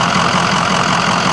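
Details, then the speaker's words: Ford diesel, 2012–2013 model with the same engine as the 04–06 versions, 83,754 miles, no warning lights, gauges normal: smooth, even diesel idle clatter with steady pitch and no misses or knocks; a healthy idle. "You can hear that it sounds great. Everything looks great."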